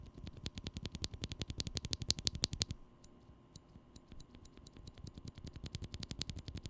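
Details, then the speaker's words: Glorious Panda switch, leaf spring lubed with Krytox: crisp, clean clacks in quick bursts with no metallic ping after each press once the leaf spring is lubed. "the sound difference is fairly noticeable in fact one could argue that the fully lube glorious now sounds even better than the previous two pandas"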